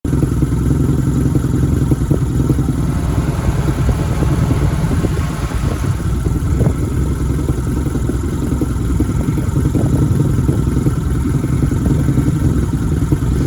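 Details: 1987 Nissan petrol engine on its first run of 2021 after sitting all winter: a loud, uneven, lumpy rough idle with scattered clatter.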